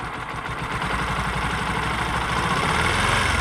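Single-cylinder bike running with an uneven, rough beat of about four pulses a second and a clattery edge; engine noise abnormal, cause unknown.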